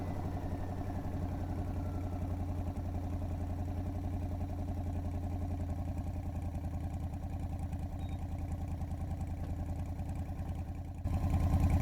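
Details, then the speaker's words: 670cc Predator V-twin-powered Renault with CVT drive, governor removed, new exhaust with no muffler, cruising: deep blunt barking exhaust pulses, three or four a second; extremely loud unmuffled exhaust. "has anybody noticed the car is Extremely Loud yeah I kind of figured it would be being it doesn't have a muffler of any kind"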